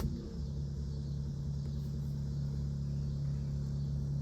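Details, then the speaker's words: Modified 1971 Alfa Romeo GTV before a cold start, not run for a few days; Facet electric fuel pump switched on, steady low electric hum from the rear pressurizing with no stutter or whine. Normal fuel pump priming. "So, we'll turn that on and you will hear that run."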